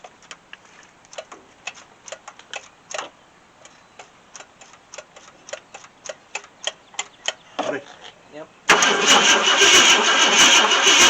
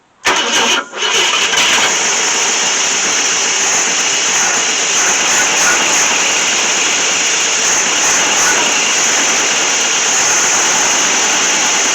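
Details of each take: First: 1966 Ford Thunderbird 390 FE V8, unregistered since 2009, new Street Demon carburetor primed with fuel: long uneven cranking about three turns a second with no catch, then loud hiss; weak, intermittent spark. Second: 1966 Ford Thunderbird with FE 390 V8, first run in at least 13 years: it catches after a brief crank and settles into a steady, even run with no knocks or misses. Normal running, with nothing abnormal seen from the exhaust.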